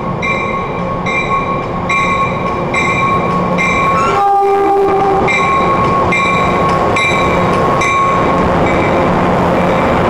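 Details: Train 1713 leading set 720 through Forest Hills: a brief, thin horn blast barely rising above the wheel clatter; the horn sounds weak, and it seems it hasn't been changed for a while (cause suspected, not confirmed).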